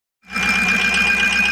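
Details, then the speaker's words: Ford E350 van, 6.0 Powerstroke diesel V8, after replacing all eight injectors for a cylinder 7 misfire: steady even idle with faint constant whine, no misses or stumbles. Normal idle, all injectors working. "guess that is the noise to success, or the sound of success right there. All 8 injectors are working."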